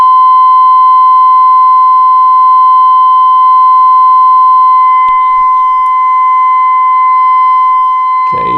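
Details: Clean, steady tone around 1 kHz near full strength from a 1932 Philco Junior 80C regenerative receiver during alignment, dial at 55, trimmers peaked by ear for maximum.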